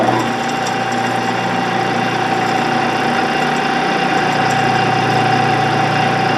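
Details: 16-inch Axelson lathe motor on a second start after its leads were identified and it was found in gear: steady, even hum of constant pitch, no surging or jerking. Runs smoothly and sounds good.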